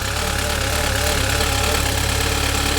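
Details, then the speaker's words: Saab 9-3 Convertible at startup: a steady hum with an uneven tapping about three a second layered on top; unidentified noise at idle that then stopped on its own. "I don't like that noise. I don't know what it is. It just stopped."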